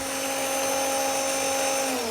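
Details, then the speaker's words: Starter (0E4271) on the bench from a 20-year-old Watchdog Generac 15,000 W standby generator (model 0053820): steady, slightly rough whine, then wind-down. About 2,800 RPM against a 4,500 RPM minimum at 36 A, so out of spec and slow, with worn bearings; the solenoid is still suspected. "The speed's a little slow. About 2,800 RPM. So, that"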